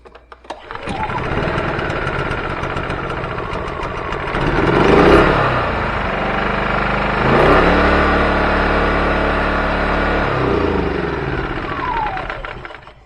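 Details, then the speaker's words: Champion 2000 W generator after new carburetor, stepper motor and pull rope, fresh gas and oil, oil sensor unplugged then replugged: catches after a few seconds of cranking and runs steadily with no misses or knocks; normal running. "that time I had it plugged up and it cranked up fine."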